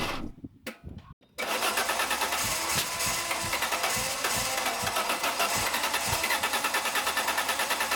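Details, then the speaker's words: Peugeot 605 3.0 V6 PRV, heavy fuel consumption, after working around the ignition/spark plugs: a few sputters, then catches and settles into an even, steady run with a quick regular beat; running much better. "Ah bah voilà, là elle marche beaucoup mieux la voiture. Il y a un net progrès."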